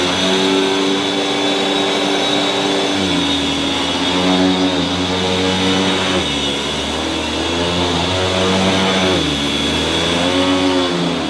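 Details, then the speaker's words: Electrolux 614 upright vacuum before refurbishment: steady motor whine with a coarse, uneven rumble and wavering pitch underneath; rough motor noise, later fixed by cleaning and greasing the motor. "Now, before I switch this cleaner on, let's hear from the previous video, my unboxing and first look. Let's listen to what this cleaner sounded like before I refurbished it."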